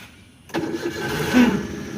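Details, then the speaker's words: Maruti Alto K10 self-starter problem: engine starts, then a brief whirring rattle just after it catches, pointing to the starter drive gear spinning freely instead of disengaging cleanly; starter removed for inspection. "Self लगाने के बाद में गाड़ी start हो जाती है। Start होने के थोड़े से तुरंत ही बाद आवाज आती है।"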